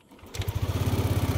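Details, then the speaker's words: Yamaha Aerox 155 V1 scooter that had been stalling when the engine warmed, after replacing the CKP sensor: it starts almost instantly and holds a steady, even idle for over 20 minutes without shutting down. "So hanggang ngayon hindi pa rin siya nagsha-shutdown yung makina. So kung may problema to safet sensor mga boss, dapat shutdown na"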